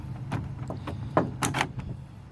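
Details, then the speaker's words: Newly replaced door lock actuator on a Toyota Matrix/Pontiac Vibe, powered for testing: a few crisp, quick clunks with no grinding; actuator working properly. "And I could hear it as soon as I put the power to it. I could hear it work."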